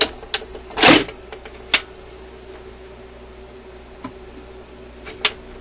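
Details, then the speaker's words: Admiral suitcase record player after cleaning and de-oiling sticky mechanism parts: light irregular clicks and a short clatter over faint motor hum as the changer cycles; normal turntable mechanism operation. "but mechanically this thing is working really really well really well so quite happy with that"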